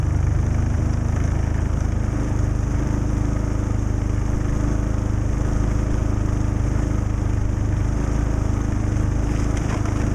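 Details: Predator 3500 inverter generator, cold start after sitting weeks outdoors at almost −20° (about 5° now), using the small battery's electric start with eco mode off. It started on the second try, then settled into a steady, even hum with no misses or knocks; running cleanly.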